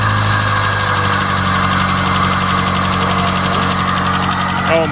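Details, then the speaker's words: 1989 Shelby Daytona turbo, sat about 14 years on old gas, possibly swapped engine, intercooler missing, borrowed coil wire: steady even idle with smooth low hum, runs with zero prep. "all right well will it run yep with zero prep and a coil wire"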